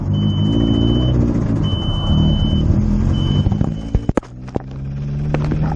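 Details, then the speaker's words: Freshly built racecar engine, no tune, after 600 miles: rough low idle with an uneven knock under the rumble, then shutting off with a few clunks; rod knock, still drivable home. "So I blew it up. I got rod knocked. But I can still drive it home."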